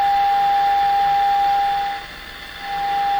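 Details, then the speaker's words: Sony TR712 transistor radio, signal injection at the detector diode: steady test tone that drops out briefly over a constant hissing roar; distorted audio, perhaps caused by the injection point, cause still being traced. "so it sounds distorted here but i think where i'm injecting it may generate the distortion it's right on the diode"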